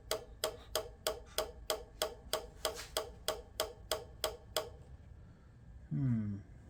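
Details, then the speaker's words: Code 3 emergency light bar bought at auction, rotator reconnected: crisp, evenly spaced clicks about three a second, a dozen or more, then silence; something in the circuit keeps cycling, cause not confirmed. "Let me hook this back up again. The one that was clicking. Let's see what's up."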